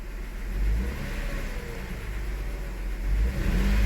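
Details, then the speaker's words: 2002 Toyota Highlander, new coil and plugs fitted before, given a light throttle snap. It climbs with an uneven, stumbling note and a live misfire count; leaner conditions on the snap make spark hard to jump. "so was doing during the snap that's when the conditions are typically going to be leaner initially and the demand is going to R ramp up and it's hard for spark to jump"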